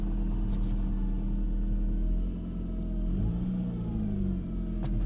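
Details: 2000 Saab 9-5 2.0t manual: a loud whine over the engine that climbs in pitch with rpm. Owner suspects the power steering pump or another belt-driven accessory, thinks it's not a clogged oil pickup, and plans to remove the serpentine belt to test. Unconfirmed.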